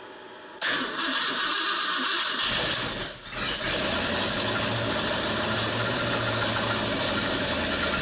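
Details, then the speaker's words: 1968 Ford Torino FE 390 with Edelbrock top-end kit, first start after rebuild: catches after a short crank, then a loud, lumpy idle with a dead cylinder and backfiring. Swapped firing order or plug wires are suspected, not confirmed. "something's not right you sure you got the fireing order right y let's see it's got a lot it's got a dead hole in it Dam it's backfiring like there's a couple of wires switched"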